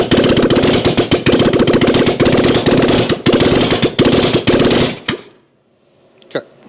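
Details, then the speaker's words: 1997 Harley-Davidson Springer Softail revival, carburetor accelerator pump not squirting fuel after cable adjustment: loud, choppy, uneven firing that chokes and cuts out on throttle blips; clog suspected in pump passage/check valve, fix unsuccessful, carb to be redone. "okay so that did not fix our problem there's a clog somewhere in this so we got to do this all again"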